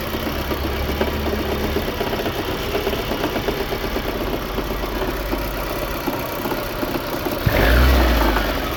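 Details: VAZ 2110 8-valve engine: uneven knocking rides over a lumpy idle, roughly three a second, then a short rev; engine knock, cause unclear.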